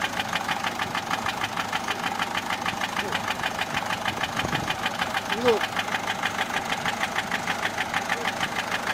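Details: Peugeot 407 1.6 HDi 90 diesel at idle: crisp, evenly spaced top-end ticking knock. Noise began after a road drive, with slight white smoke from the rear. Mechanic suspects tappets (poussoirs), unconfirmed.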